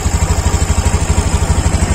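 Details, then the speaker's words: Honda Beat Deluxe scooter idling with the cylinder-head breather hose pulled off: steady low idle with a lumpy chuffing pulse about twelve times a second from the open hose, clearly different from normal; a clogged hose starves camshaft lubrication. "Oke, ini saya lepas, Anda bisa dengerin suaranya. Suaranya jelas beda."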